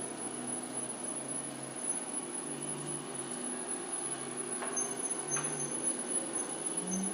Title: Robot Vaccum Clean with Squeaking Sound